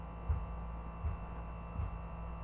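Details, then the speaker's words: Agratto split air conditioner, new and under warranty, running with a steady hum and a dull low thump about every three-quarters of a second; technician confirmed above-normal noise, owner says the blades (palhetas) are hitting. "isso aí são as palheta batendo aí não tem condições de eu ficar com ar condicionado desse"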